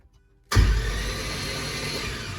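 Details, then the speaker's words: Caravan project, first starter-button test after battery and cable install: starter spins the engine quickly and evenly with no compression pulses, a free light whirr, because the spark plugs are out. "we have cranking so obviously it sounds like it doesn't have any compression because there's no plugs in it but it cranks i like it"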